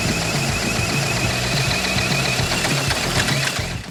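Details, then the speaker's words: 1981 Honda ATC 110 three-wheeler, formerly seized engine freed and carburetor ultrasonically cleaned: uneven popping bursts a few times a second that catch and die away; the single cylinder nearly starts. "oh man she wants to run bad we're getting close"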